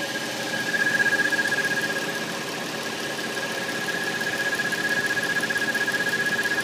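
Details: 2013 Dodge Challenger SXT running with a steady high-pitched whistle; dealership found a loose water pump seal, and the noise stopped after the pump was replaced.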